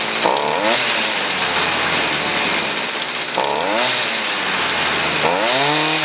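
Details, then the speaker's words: Stihl FS38 two-stroke string trimmer running with no trimmer line fitted: buzzy revs climb in quick surges and settle unevenly; it runs a bit off only because the line is not loading it. "you can hear it running a little bit a little bit off now but that's because it doesn't have any uh doesn't have any uh thread"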